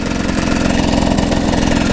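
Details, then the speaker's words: GasGas two-stroke motorcycle riding in second gear after a valve-opening system screw fell into the bottom end. Even, rapid firing at steady revs, no knock or tapping. Normal in second gear; the knock occurs only in first. "je suis en première en second il n'y a pas de souci"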